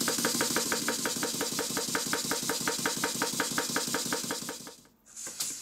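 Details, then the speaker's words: Stuart beam engine under restoration, after the valve chest refit: sharp, even knocks about three per second on every stroke. The slide valve opens and closes far too late, after top dead centre, because the thick gland cover prevents correct timing, so the knocking got worse. "at the moment the timing is the slide valve is opening and closing far too late you can hear it opening after top dead center and that's why the knocking has got a lot worse"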